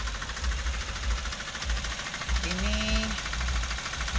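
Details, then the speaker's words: Toyota Avanza petrol engine idling with a heavy, loud diesel-like knock, running rough and uneven; hollow clatter of piston slap, engine rebuild judged necessary. "Pincang, suaranya kasar. Ini kalau kata papi harus bongkar mesin ya."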